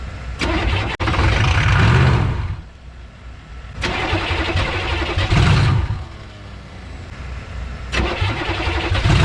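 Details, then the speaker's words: 1986 Chevrolet 1-ton dually with swapped 6.2 L Detroit diesel, abandoned 22 years, start after unbolting restricted exhaust: engine fires and surges in uneven bursts, running rough at high idle, smoking heavy white smoke, but stays running. "baby yes sir smoking like a freight train though"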